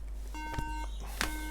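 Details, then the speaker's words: 2011 13-inch MacBook Air A1369 that won't turn on: at power-on, steady mid-pitched beeps in groups of three repeating endlessly, a RAM fault code, later repaired by RAM reflow. "all right so three beeps is usually a ram fault"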